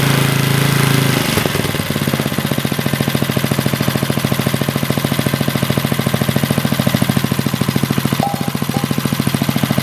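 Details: 40-year-old Briggs and Stratton single-cylinder on a garden tiller, after a carburetor rebuild, with the throttle adjusted because the owner suspected missing linkage: it catches after a second of cranking and settles into a steady, even thumping beat; it runs smoothly after the adjustment.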